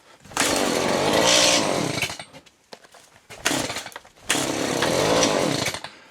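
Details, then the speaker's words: Chainsaw cold start after choke released, new fuel filter: bursts to high revs for a couple of seconds then sags and dies, twice; owner suspects new filter still filling with fuel. "It's a new filter, so I'm imagining it's sucking up fuel into that now. Which we'll probably have to do that a little bit more. Just to get the filter full of fuel."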